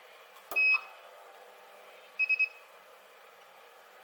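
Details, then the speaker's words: Spot welder building an 18650 battery pack with nickel strip: short high beeps, one longer tone and three quick chirps, as the welder recharges between welds, taking a few seconds. Normal recharge beeping. "the big thing that you can hear is the welding machine just charging back up again just takes a few seconds"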